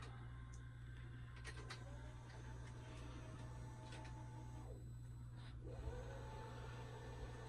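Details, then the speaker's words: 1992 Shintom VCR450 VHS VCR, second-gen Shintom mechanism, recapped after every black Matsushita capacitor had failed, stopping playback: over a steady mains hum, soft mechanical clicks and a brief motor whir as the tape stops and unthreads; normal. "Everything was wrong with it. So now we're going to stop the tape."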